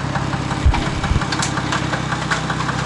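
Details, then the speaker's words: Car engine after first drive out of winter storage: a couple of dull taps over a steady hum, tapping seemingly in the engine, cause unconfirmed. "не смущает некая постукивание как будто в моторе"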